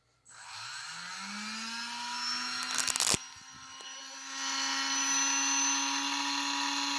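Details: TP 2150 custom brushless motor, about a month old and run about three times, no-load test around bearing change, measured about 2102 kV at 3.3 A: clean whine climbs quickly then holds steady pitch, no roughness or rattle; normal.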